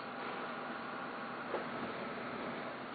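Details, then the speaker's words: Xbox 360 running with no disc inserted: steady, even airy hum from the cooling fans with no ticking or surging, quiet and normal before disc drive spin-up. "now the fans are not very very loud now I'm going to put my disc in and let the disc try read it and see how loud it is when I do that"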